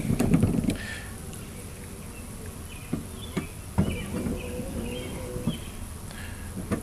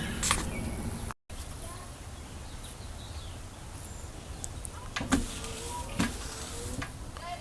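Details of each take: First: 2006 Chevy Uplander rear wiper motor with seized output shaft (froze at 11:00 over winter), run half an hour after oiling and drilled clean-out holes: uneven buzzing, bogging and catching as it strains; motor got extremely hot. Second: 2006 Chevy Uplander rear wiper motor after fixing seized output shaft by drilling clean-out holes and oiling: quiet steady whir with even sweeps, no grinding or binding; working normally.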